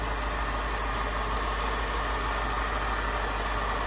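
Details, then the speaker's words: BMW 6 Series E63/E64 with N62 V8, idle checked during a pre-purchase inspection: smooth, even idle with a steady hum and no knock or miss, only a faint tapping from the charcoal canister purge valve; healthy engine. "but yes i'd be happy with this engine so far it's nice and quiet it's sitting still as i say the only tapping we've got is from the charcoal canister fence valve"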